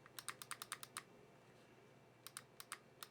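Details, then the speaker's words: Valken airsoft battle rifle fitted with replacement QC gearbox and micro switch trigger, M110 spring swapped: sharp, crisp trigger clicks in quick bursts over quiet background; micro switch clicking normally. "I don't know if this will translate on film, but hear that? That's that micro switch trigger."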